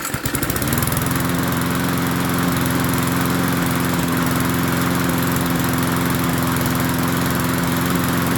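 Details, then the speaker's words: MTD 22-inch push mower, model 11-A084E029, after the spark plug wire was properly hooked up: it catches within a second and settles into an even, steady putter with no misses, sounding better. Owner notes slight vibration, possibly a bent crankshaft. "don't sound too bad not bad at all well it's amazing what happens when you hook a spark plug up and it sounds a little bit better now"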